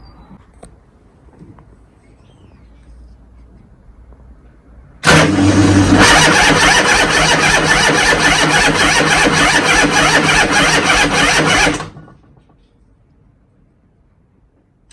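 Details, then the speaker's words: Motorcycle starter cranking test after an overnight battery charge (battery tested good): a harsh grind as the starter engages, then about six seconds of steady, even cranking, no start; voltage still drops to 8.7 V, though it cranks better than before. "Apart from that grinding sound at the beginning, that sounded quite good. Should we see what Captain TopDon has to say? So obviously exit failed, we didn't start."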